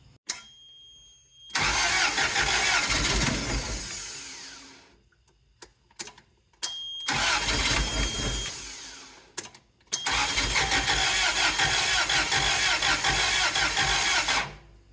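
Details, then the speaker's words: Junkyard Toyota forklift with 4Y engine said to be seized, old corroded plugs, propane tank: three long cranking bursts with hissy churn and brief catches that never run; cranks with only intermittent firing, owner suspects it needs a proper cylinder. "We're getting a little bit of fire out of it now. Well, we did. Now nothing."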